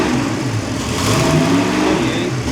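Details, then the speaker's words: Ford 460 big block with vintage high-compression heads, stock cam and roller rockers. It revs up and hangs unevenly, with timing advance coming in erratically around 30 degrees. Owner suspects the distributor advance weights are sticking. "So, I think the weights are sticking or something's going on with that. So 30 is where it's coming up."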